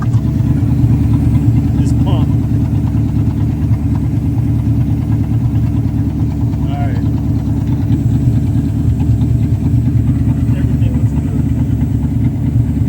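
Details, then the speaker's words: 1984 Mercedes 500SEC Euro-spec after removing blockage from clogged fuel intake filter, previously bogging and dying: low even idle holding steady, no stumbling, hunting or dying; fixed. "the fuel is flowing nice and smooth the engine is running it's holding idle i'm happy golly so that was the issue"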